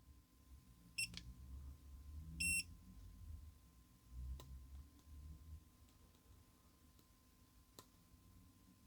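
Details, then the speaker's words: Dead Milwaukee M12 C12DD drill: the LED works but the motor won't run. The meter gives two sharp continuity beeps with all MOSFET pins connected together, showing a shorted MOSFET. "So I guess there is something that is not good, as all those pins are connected. That's usually a good sign of failure."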